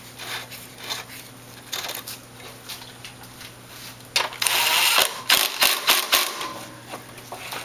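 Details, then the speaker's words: 22-inch Toro Recycler front-wheel-drive self-propelled mower after front drive bearing replacement: light quick clicks about four a second as wheel spins freely by hand, no popping or jamming; normal one-way clutch. "Alright, and now you can see it spins nice and freely, locks in reverse, and you can hear the clicking. That clicking is from the one-way clutch, and that's the only sound you should hear."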